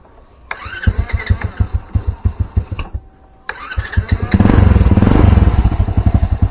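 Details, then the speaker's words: After new aftermarket starter motor fitted: brief cranking then even pops about three per second catching straight into steady idle; normal start. "Kita kunci kontakan, dia starter. Nah, langsung kan."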